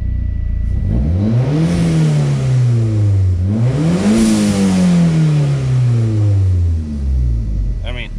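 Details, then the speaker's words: Toyota Celica ST165 All-Trac warm at operating temperature, no load, diagnosing earlier hesitation/bucking (owner suspects catalytic converter): revs climb and fall smoothly twice without stumble, then steady idle; gauges normal, no check engine light, sounds healthy. "sounds good but yeah nothing on the gauges are screaming out i do not have a check engine light still"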